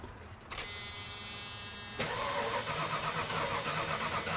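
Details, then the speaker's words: 1997 Ford F-250 that sat a decade, after swapping in a proper borrowed battery: starter spins the engine fast and evenly, strong healthy crank; spark not yet present at the plug. "oh yeah much better this thing's going to run"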